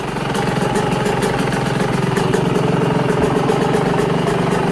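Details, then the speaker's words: Yamaha YZ125 two-stroke on 25:1 premix (5 oz oil per gallon), idle set barely idling: fast, crisp, slightly uneven but steady idle without bogging; motor sounds good and tight. "one see if she'll idle for for a second here you go motor sounds good and tight"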